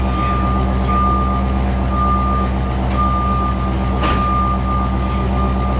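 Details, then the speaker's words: 1975 Buick LeSabre Custom Convertible V8, original owner, just started with slightly high idle after kick-down: steady low even rumble, faint constant whine, no misses or knocks; smooth healthy idle. "That sounds smooth. That sounds like a 75 Buick."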